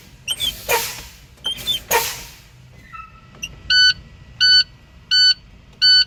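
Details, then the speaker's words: Truck air brake low-air warning test, fanning the brakes: a few sharp air hisses, then four even beeps about a second apart; buzzer and solid red light came on at 61 psi, within the 55–75 psi spec; normal. "Okay, so I see a solid red light and hear a buzzer at 61 psi is when I started seeing it come on and hear it. It was a good test because it was in between 55 and 75 psi."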